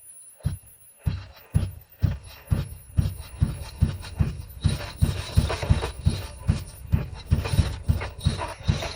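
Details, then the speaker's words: Third-generation (1986–1989) Honda Accord abandoned for years; blown fuse replaced and all pistons renewed. Slow, even cranking (about two beats a second) sprayed with ether: it showed signs of starting at first, then grew less likely. It cranks but won't start; owner suspects a piston issue. "At first, there was a sign of starting when sprayed with ether, but as it went on, it seemed less likely to start."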